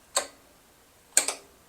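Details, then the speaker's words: Used 5.0L V8 for a 2010 Range Rover, cylinders inspected, rotated slowly by hand: smooth and free but sharp isolated metallic clicks, single then double, seemingly from the timing area; a little concerning but not a major worry since new timing components will be fitted. "The clicking that I'm hearing is a little concerning. It sounds like it's coming in from the timing area."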